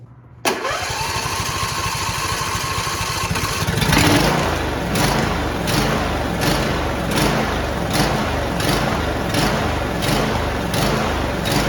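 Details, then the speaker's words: John Deere D170 lawn tractor, 25 hp V-twin with twin-barrel carburetor, after fixing surging/sputtering and idle stalling (Torx bolts threadlocked, fuel line and filter installed): starts promptly, runs steady and even, cutting grass normally. "it is cutting grass beautifully"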